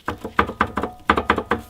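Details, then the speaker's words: Car raised on jack stand with wheel off while adjusting camber bolt: short hollow clunks, about seven in two seconds in uneven bursts, from the coil spring area; clunking source not yet found. "I don't know if you guys will be able to hear this too, but this is... that noise is the clunking noise that I'm trying to source from this coil."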